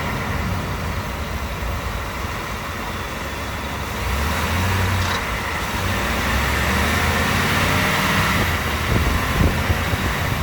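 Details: 2018 Ford F-150 5.0 V8, 10-speed, 4x4, cold start: heavy drone under load with a loud, uneven ratcheting rattle every time the throttle is released, worse when cold. Cause unknown to the dealer; owner also suspects piston slap. Present since about 9k miles.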